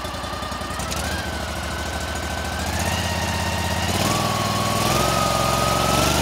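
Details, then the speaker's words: Cub Cadet 1440 small engine after electrical fixes (battery cable ends, fuse holder, key switch): even chugging idle with a faint whine, settling a little higher; now charging at idle where it was not before. "now we'll sit there and we'll actually charge an idle where we weren't charging an idle before"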